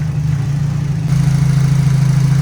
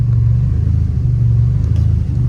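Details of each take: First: Turbo Nissan Silvia S14 race car, 144,000 km, tuned, warming up after a cold start: a steady, even low rumble that smooths out midway. Normal warm idle with no misses or knocks. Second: Turbo Nissan Silvia S14, 144,000 km, cold start: deep, lumpy, pulsing uneven idle as the engine goes into limp mode; smooths out once warmed up; hard to keep running cold without pumping gas.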